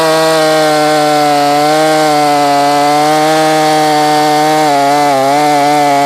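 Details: Ported Husqvarna 450 Rancher chainsaw, OEM cylinder, warm after cutting white oak: steady high buzzing idle with no load, dipping slightly then settling back up; suddenly idling high, cause unconfirmed.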